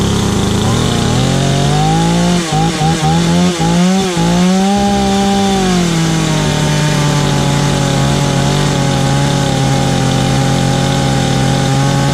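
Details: Stark Chinese chainsaw after ignition coil replacement: steady buzzing pitch sags and wavers briefly biting into wood, then recovers smoothly; healthy running under cutting load.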